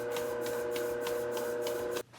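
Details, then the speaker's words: Globe SP08 mixer kneading 3.5 lb batch at 53% hydration, under manufacturer's limit: steady motor hum with soft creak about three times a second; creaking under load, source unclear and concerning. "I still think that creaking is something that's concerning."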